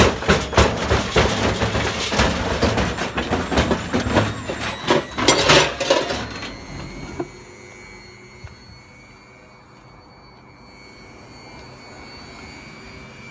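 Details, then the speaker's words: Hotpoint Aquarius WMA40 washing machine, run at full speed with a saucepan inside: loud uneven thumping and rattling, rubber smoke smell, then drive cuts to a faint hum; drive belt burned through. "So it sounds like we've got a belt issue. There's the belt's just burned through, and that's it, the motor's off."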